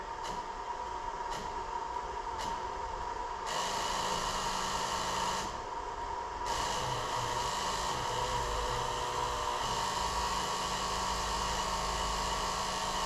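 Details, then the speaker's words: 2000 Jeep Grand Cherokee 4.0L, key on engine off: sharp clicks then raspy buzz cutting in and out from ASD relay in underhood fuse box, chattering due to a faulty fuse contact; also hard start/stall. "Keys in the on position, as you can tell by that incessant buzzing."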